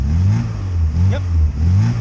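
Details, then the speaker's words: Lada 2104 after about five minutes warming up at about -19°C, now running off choke; low steady carbureted idle thrum with gentle slow surges and no knocks, sounding healthy. "okay so I haven't said about five minutes or so to warm up it's running without the choke"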